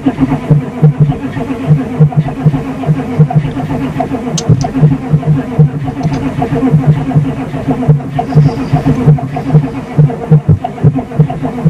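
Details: 6.5L diesel at -5 degrees, no fuel additive, failed block heater, needing a jump start: steady, even cranking pulses churn for many seconds without catching; glow plugs recycled between attempts; took about 1 hour 45 min to start.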